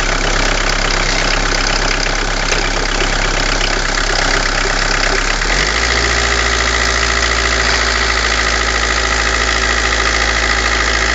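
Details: Citroen BX petrol engine idling cold about 30 seconds after startup, uneven then settling to steadier hum; suspected head gasket was actually a cracked cylinder head.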